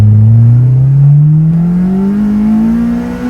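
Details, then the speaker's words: Honda S2000 pulled hard in second/third gear into VTEC: smooth clean pull, engine note climbing steadily through the revs with no misses or knocks; healthy VTEC engagement. "That sounds fantastic. It sounds great, and it's got that proper Honda sound, proper Honda feel."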